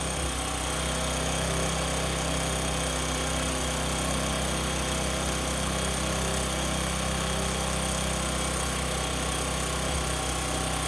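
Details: Bajaj Discover 125 single-cylinder after tappet clearance adjustment: steady even putter with no top-end clatter, quiet valve train; normal running.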